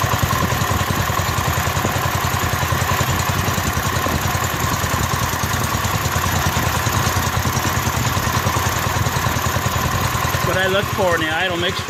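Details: Rebuilt Kohler K241 single-cylinder in a John Deere 210 garden tractor, first start after rebuild with new fuel line and fuel primed into carburetor: steady fast idle, firing evenly with no misses or knocks; runs smooth.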